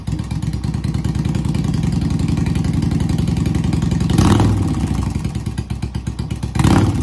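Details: Newly acquired project motorcycle started for the first time, with gas fed from a small bottle: a low, lumpy V-twin thump settling into a steady idle with a couple of blips. Normal idle.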